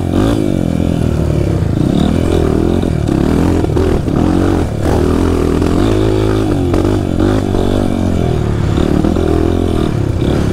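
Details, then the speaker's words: Honda CRF trail dirt bike running unevenly, stumbling and misfiring as it revs; the choke had been left on, and it was not the fuel. "Tá falhando ainda. Opa! Tá ouvindo? Liga aí, não era nem a gasolina, era afogador."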